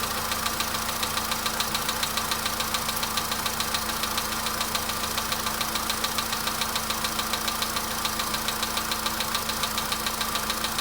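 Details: VW Polo Sedan engine knock at idle: steady, even metallic ticking knock about two per second above the engine hum; source undetermined.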